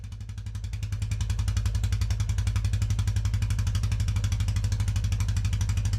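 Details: Royal Enfield Classic 350 Reborn started after refitting the fuel tank and fitting a touring handlebar kit with longer throttle and clutch cables: steady, even single-cylinder thump settling into regular idle, no misses or knocks; normal idle.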